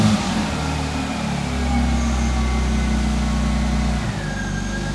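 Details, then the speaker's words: BMW E46 coupe with M54B22 engine, just after replacing a bad fuel filter, revved and held: runs better but the note is slightly uneven, with lingering misfires. Vacuum leaks and the crank and cam sensors are still suspected. "try it immediately runs better but it still has misfires but that was definitely a big issue"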